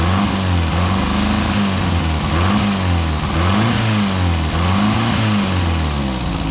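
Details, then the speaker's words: Four-cylinder car restarted after sitting about 35-40 years, no adjustments made: uneven, lumpy idle with dropouts; mostly firing on four cylinders, running rough, owner suspects timing is off. "okay so she's running pretty rough but I think sounds like it's firing on most of the time on four cylinders timing's probably off"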